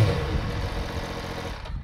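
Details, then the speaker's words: 2014 MV Agusta F3 800 at low rpm with a failed ExUp exhaust valve in the exhaust canister that no longer opens and closes properly. It gives a lumpy, uneven chuffing idle before cutting off; the shop said it won't hurt the engine. "so now my bike rides pretty rough at low rpms and it sounds like complete crap but the shop said it wouldn't hurt the engine"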